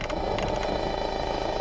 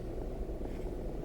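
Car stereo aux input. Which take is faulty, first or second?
first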